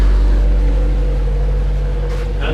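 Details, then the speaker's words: Honda Prelude after swapping the B21A1 for a B20A5 engine: low, steady, smooth idle rumble with no knocks or ticks. Idling normally, "purring." "she's purring you don't think sounds good"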